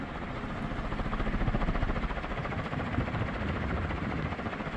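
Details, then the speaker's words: Second mid-to-late 1980s 56-inch industrial ceiling fan (possibly HRS), cast iron motor, run straight at high speed: soft even whooshing pulse, no clunks or 60-cycle hum; normal smooth running, no loose bearing. "this one here seems to run a lot smoother than the first fan it seems to not have that loose bearing situation on the motor so this one here is perfectly smooth no cluns or 60 Cycle HS to this one runs about the same"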